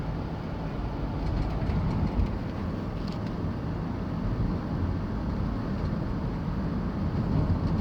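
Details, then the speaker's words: Van driving over bumps after all four shocks were changed, fixed by packing wire between the loose passenger-side rear shock bolt and body: steady low road rumble, no knocks or rattles; rear clunk gone. "rather sound anymore so the wire I put the white between the the shock boat and body of this vehicle work because I take care of the looseness on between the bolt and body as you see no more router noise anymore"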